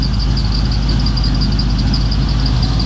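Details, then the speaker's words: Square-body Chevy V8, freshly rebuilt (new cam, lifters, valve job, bearings, rings, gaskets), idling: steady even low rumble, normal, with a faint high belt squeak from a V belt and flat belt sharing one pulley. "new cam, lifters, valve job, bearings, rings, gaskets, sills, and it runs pretty good."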